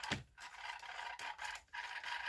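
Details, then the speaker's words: Vivitar Aeroview drone motor after flying: a thin, steady squeak under scraping rub noise, with dropouts. The motor is squeaking and the cause is not yet found. "you hear that sounds like a squeaky Bell on the car I don't know it must be some parts in the murder"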